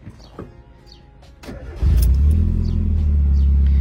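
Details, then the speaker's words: Mazda Miata, cold engine just after replacing the exhaust line: fires and settles into a deep, steady, raspy rumble with no buzz; much raspier than before, when it had a nasty crackling/sizzle. Healthy cold-start exhaust note. "Déjà là, ça sent que le bruit du moteur est beaucoup plus rauque. Vous voyez, ça fait pas le même bruit qu'avant. Avant, il y avait un espèce de grésillement dégueulasse."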